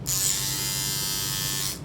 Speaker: ปกติตอนซื้อมาแรกๆเนี่ยเสียงจะเบามากแต่ปรากฏว่าใช้ไปแล้วเสียงดังมีวิธีแก้ไขปัญหาง่ายมากนะครับที่จะทำให้ตัวนี้เนี่ยเบาลงมาดูกัน